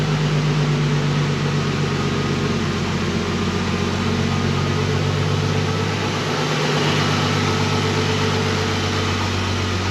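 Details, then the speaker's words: Nissan GTR with a cat delete system, possibly mounted upside down: deep steady exhaust rumble at a low even idle with no knocks or misses; owner says it sounds good. "started it up I don't know if the audio picks it up very well or not but it sounds good mine's good"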